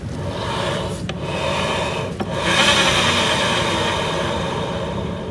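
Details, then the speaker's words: Honda BeAT FI scooter CVT: pulley shaft bearing turned by hand gives a dry, gritty rasp swelling and fading, but not seized; replacement recommended yet judged usable for now. "Bunyi ya. Bunyi dia. Tapi nggak ngekol. Sebenarnya kalau bunyi gini itu disarankan untuk mengganti."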